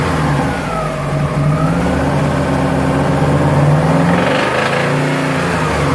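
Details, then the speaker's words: Subaru engine revving up and down with a deep, rapid knock near the crankshaft; metal particles found in oil afterward, owner sure it's a rod bearing (rod knock), engine to be opened. "Tengo un ruido bien feo como por el cigüeñal y esas partes así."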